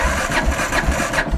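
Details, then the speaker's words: 2001 Kawasaki KLR 650 with an Eagle Mike 685 kit, cold after sitting several days, choke/enricher on; slow cranking with only faint weak firing that never catches, though it starts on starter fluid; cause unknown: hard starting when cold. "engines cold hadn't started for a few days so I'm gonna do a cold start okay you choke the enricher vowel starts up for a second right turn this back off didn't fire that time"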